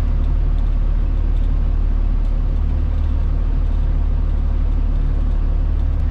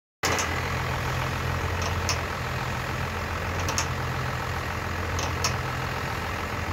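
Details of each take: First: Truck at idle after the front-end popping repair: the wheel is turned while stationary and while backing out of the driveway, and only the steady idle is heard with no pops or clunks, so the front suspension is quiet. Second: Crew cab pickup stationary at idle with the wheel turned left and right, recorded from underneath: a sharp pop about every 1.5 s. Suspected worn spring eye bushing at the front eye of the driver-side front leaf spring, which appears to shift with each pop.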